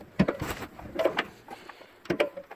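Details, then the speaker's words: Mazda car door hinge: short squeaky creaks in three bursts as the door swings. Dry creaking hinge. "You hear that creaking? The door on my little Mazda was really making a racket."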